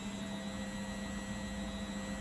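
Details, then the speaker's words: Beko WTG620M2W slimline washing machine spin test, with the machine on uneven ground: the motor spins up fine with an even, constant low hum and no knocking. Possible slight drum wobble noted. Normal spin. "know the pump out's working we know the motor's working spinning up just fine"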